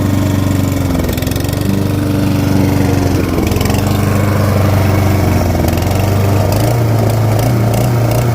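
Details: Stiga Combi SQ 50 lawn mower: small engine idling unevenly, pitch drifting up and down from a faulty automatic throttle; fixed with rubber bands and compressed air.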